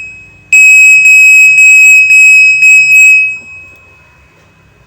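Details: Godrej Fuzzy top-load washing machine control board after replacing two bulged capacitors: a clean, high-pitched beep pattern of about six quick pulses over three seconds, then quiet; the board powers up normally with display and inlet working.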